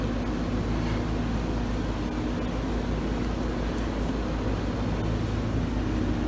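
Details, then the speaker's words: Samsung DW-ADR5061UG dishwasher during a cleaning cycle for odor, heard at the bottom while the circulation pump runs: steady, even low hum with no knocking or grinding; a bit noisy but normal pump operation. "so this is how quiet it is while the dishwasher is running except for the pump it's still uh actually a bit noisy right now so as you can hear on the bottom as i can show you this is how the noise makes while the pump is running"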